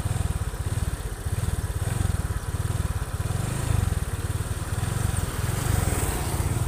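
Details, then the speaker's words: Honda Vario 125 fuel-injected scooter after full internal engine rebuild and cleaning idles with a low, even putter and steady quick beats, no knocks or rattles; smooth, healthy normal idle. "kalau mesinnya sudah halus untuk mesin sektor mesin itu juga halus karena bagian internal engine sudah saya bersihkan secara total cara menyeluruh"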